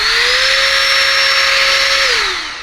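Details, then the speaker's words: Battery-powered electric air duster with a carbon fiber brush, used to dust a PC motherboard: a steady high whine climbs quickly, holds an even pitch about two seconds, then winds down smoothly. Normal run. "and if you tap the button twice it stays on it's pretty powerful the batteries last good long time"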